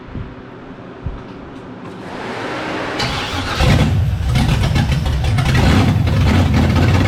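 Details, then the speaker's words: S15 swapped with a brand-new 5.3 L LS V8 on a Holley Terminator X ECU, at first start. After a short crank it catches and settles into a lumpy, slightly hunting idle. The IAC valve doesn't move, so it was removed and screwed open by hand. Faulty idle air control valve. "So we got to get another IAC tomorrow. I'm going to try to find one from work. And so what I've been doing is just taking it out and I've been just screwing it kind of open and playing with it. And so far, I've kind of got it to idle like okay."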